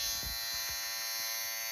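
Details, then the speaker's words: Kodak disc camera: a steady high buzz as the film advance motor spins without advancing the film because the main gear has come loose on its shaft; the fix is to remove the motor assembly and glue the gear back on. "that's why it's just buzzing like this because it's trying to advance this but it can't because that main gear has become loose"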